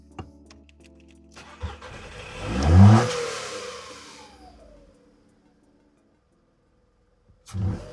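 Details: VW Polo 9N3 with idle problems, started after refitting the throttle body: engine cranks, catches with a rev flare and settles toward idle before shutting off; throttle seems to work, unstable idle cause unconfirmed, injectors previously replaced.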